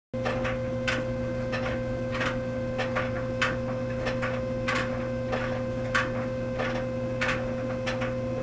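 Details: Tumble dryer running: sharp, somewhat uneven metallic clacks over a steady hum from a coin caught in one of the plastic drum paddles; a separate high-pitched whine came from an uncleaned lint filter.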